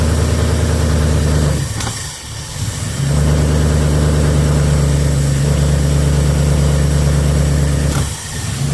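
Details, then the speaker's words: Start-up after fitting Holley Sniper 2 EFI, with the engine set at top dead centre, the distributor adjusted clockwise and the idle RPM lowered, in neutral. It fires into a lumpy idle broken by sharp pops and stumbles; it is still backfiring. "I'm going to attempt to start it up again. Make sure I'm in neutral here. Now we're backfiring again."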